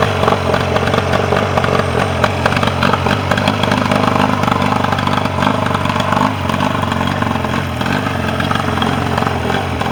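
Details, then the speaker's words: Mercury 40 two-stroke outboard that came in with a no-start and would not idle; balance check had found the bottom cylinder not firing. After repair it holds a quick, even idle with a light clatter on both cylinders, no crankcase leak. "start her up. Run on both cylinders."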